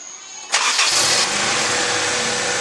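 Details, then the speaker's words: 2001 Honda CR-V after fixing the distributor rotor, which caused the misfire: a quick crank, clean catch and smooth, even idle with no stumbling or popping. Normal start and idle. "yeah that was the problem there's no backfire it's perfectly fine it's running perfectly idling perfect"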